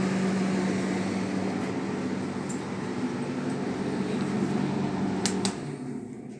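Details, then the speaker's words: Defy DTD252 tumble dryer that hummed but would not turn, after replacing the motor capacitor: steady motor hum with a soft even drum tumble for about five seconds; dryer running as it should. "So let's start it up and see what happens. Working like a bomb. Like a bomb."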